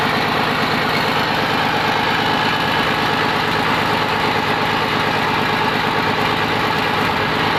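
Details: Komatsu PC200-8M0 diesel engine running after overhaul: even, constant idle rumble with steady beat, no knocks, rattles or hunting; healthy normal idle.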